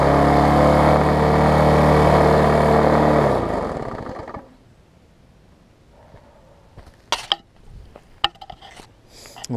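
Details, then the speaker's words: Bolens 21-inch mower, Briggs & Stratton 500 series, built April 2012, bent shaft, governor spring missing: screams flat out at a steady high pitch with shaking drone, then dies; owner suspects wide-open overspeed adds to vibration. "is also the spring is running wide open and it is vibrating some now if I get it to run at the proper speed it might not vibrate as much and it might be tolerable"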